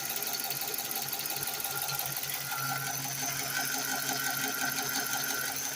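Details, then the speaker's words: 2014 Dodge Charger 5.7 Hemi, fully warmed after about 15 minutes' driving, quiet when cold: light, even ticking about three times a second over idle, lifter rattle on both sides; later traced to bad camshaft and lifter from cheap parts. "all right here it is fully warmed up took it out for about 15 minutes probably uh 78 miles maybe a little less and it sounds like [Music] definitely got a lifter rattle sounds like it's on both sides"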